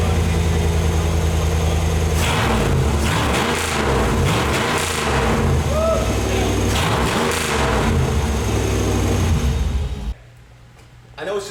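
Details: 3rd-gen Camaro with the fuel tank suspended: the engine catches and runs, picks up cleanly on a few throttle blips, then shuts off near ten seconds; it runs properly.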